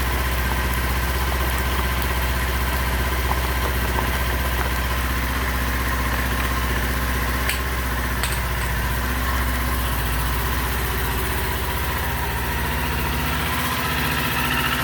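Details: 2019 Kawasaki Z400 started after removing and refitting the air filter: steady, even idle with a smooth low hum and no knocks or misses. Normal idle.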